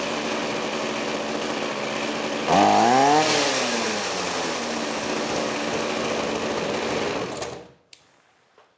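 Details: Trash-picked Ryobi 25cc two-stroke string trimmer after fuel line repair buzzes steadily, revs sharply and settles to an even run before shutting off; healthy.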